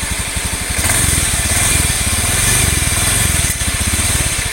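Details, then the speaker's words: Honda Beat FI scooter (automatic, CVT) idling with a gritty, sandy rumble on the firing beat, coming from the central crankcase rather than the CVT; worn crankshaft bearings. "Kayak suara ada pasir-pasirnya gitu, sereng sereng gitu. Itu positif. Laker keras bermasalah."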